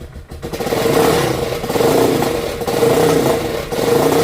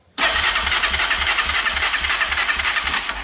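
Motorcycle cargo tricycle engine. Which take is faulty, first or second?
second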